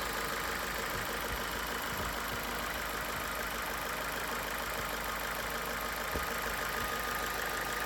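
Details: 2015 Ford New Fiesta, 60,000 km, after adding an additive that reduced the chronic lifter-like engine noise: smooth, steady petrol idle with only a faint light tick left; valve train quiet, normal idle.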